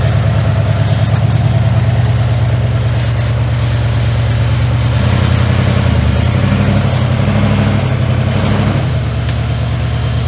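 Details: 1981 Ford F100 V8, revived after sitting 24 years and due for a rebuild: heavy uneven idle with a dull knock near two per second, roughening as it revs; worn bearing knock.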